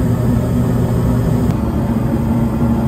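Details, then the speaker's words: 5-ton York gas packaged unit on a no-heat call: a steady, even low hum from the inducer with no rattle or buzz, after loose mounting nuts were tightened to stop its vibration. Now running quietly and heating. "I was able to get the inducer to stop vibrating a couple of these little nuts right here real loose so I just tightened them up and it stopped vibrating it's quiet now"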